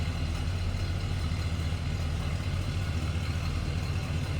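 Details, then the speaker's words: 1970 Oldsmobile Cutlass Supreme, Rocket 350 V8 idling: a deep, steady rumble with no ticking or misses; a healthy idle. "Nice little rumble coming out of that Rocket 350 underneath the hood."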